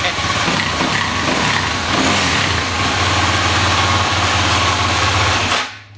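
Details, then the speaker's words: 2007 Husqvarna TE250 with new 300cc Athena big bore kit, about 10 minutes run time: single cylinder idling with quick, slightly uneven popping beat, then shut off; owner thinks it's already running cleaner than before; healthy. "I think I'm already running a lot cleaner than I was before, and I've only got 10 minutes of run time on this thing."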